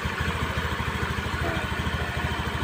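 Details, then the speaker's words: Honda Spacy scooter brought in for a very rough engine noise, now run with the fan removed to test the fan as the cause: quick, even, smooth idle with no rattle, confirming the fan was the problem. "nah ini motor sudah hidup Ya coba kan sudah halus sudah enak didengarlahak"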